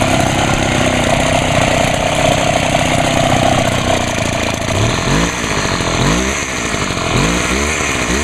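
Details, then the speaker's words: Homelite HT-21 hedge trimmer two-stroke after carburetor rebuild, first start: catches and runs with quick throttle blips rising and falling cleanly and a fairly quiet exhaust through its small muffler; running fine. "well I'm Ashley surprised how quiet that thing really is got a pretty small buffer on it"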